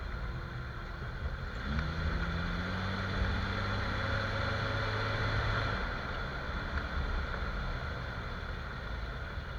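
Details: Jeep XJ driving after dry lube sprayed on the front axle-shaft u-joint with cracked rubber: steady low road rumble, no clicking, clunking or squeaking; front end quiet, confirming the u-joint as the noise source, to be replaced or whole axle shaft swapped.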